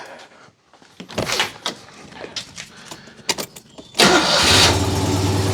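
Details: Citroën 2CV after ignition troubleshooting (no spark getting through on one side): a few seconds of starter churn, then catches and settles into a steady fast idle; exhaust leak heard, timing still to be checked.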